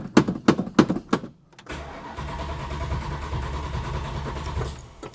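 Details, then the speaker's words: 1971 Plymouth Hemi Cuda V8: a few slow starter cranks, a pause, then it catches into a rough steady run; hard start as fuel evaporates from the open-circuit carburetor, bone dry. "come on see the modern fuels all evaporate out of these open circuit carburetor systems so every time you go to start it it's completely bone dry"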